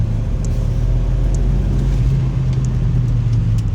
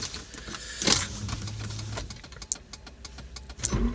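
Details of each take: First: Volvo 940 Turbo with manual gearbox after fixing the turbo pressure pipe into the engine. Full throttle in third gear, pedal to the floor: deep, even roar with no stumble, misfire or surging. Healthy full-throttle acceleration. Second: Volvo 940 Turbo that died on the road, cranked on a charged battery with a spark plug grounded for testing; starter turns steadily with sharp spark snaps but never catches; cranking no-start, spark present, owner suspects empty fuel since the gauge is broken.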